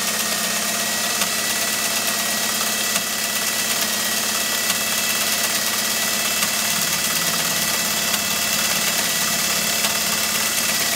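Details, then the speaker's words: American Beauty sewing machine sewing one of its 76 decorative stitches, needle at left position; even mechanical whir with soft regular clicking of the cams at the back of the machine; runs smoothly and well, normal. "okay well it sure runs well doesn't it and you will hear periodically when the machine is running uh or you may be able to hear it you'll actually hear those cams with us just a soft clicking sound as they're going back and forth in the back of the machine"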